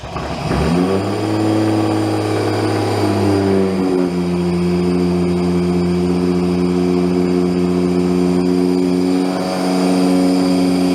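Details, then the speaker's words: Engine just wired to a new ECU Master Classic ECU with an untuned startup map: it starts well and settles into a smooth, clean fast idle with no popping or misfire. "All right. So, it sounds good. Sounds nice and clean. There's no popping and carrying on."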